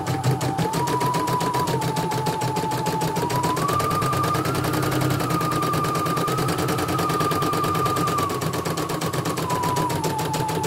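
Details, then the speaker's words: CNY E900 embroidery machine after motor (dynamo) replacement and sensor test, previously heavy running with hissing: fast even stitching chatter, steady motor tone, no skipped stitches or knocks; normal embroidery run. "bagus, nggak ada loncatannya."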